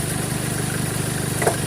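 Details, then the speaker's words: 2013 Chevrolet Colorado at idle with the A/C high side over 200 (should be about 180): a fast, regular light tick keeps time with the engine as the alternator pulley jumps; a worn alternator pulley, later replaced. "Ayun o, yung pitik na yun, ayun o. Tumatalon ano. Talon."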